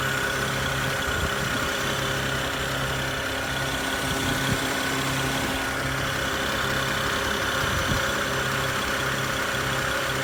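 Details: BMW 335i at idle; a constant airy hiss over the engine note, located near the alternator, intake and throttle body, with the exact source not yet found. Hissing noise at idle.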